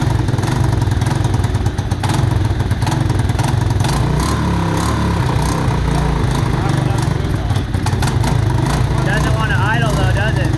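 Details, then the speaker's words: Mojave 250, year unknown, after timing chain replacement (old chain loose, jumping time): rough revving with sharp irregular exhaust pops, no steady rhythm, heavy smoke, backfiring; timing suspected, not confirmed. "smoking a lot off that exhaust it doesn't sound like it's in time right see it backfiring see I don't think it's gonna be able to idle"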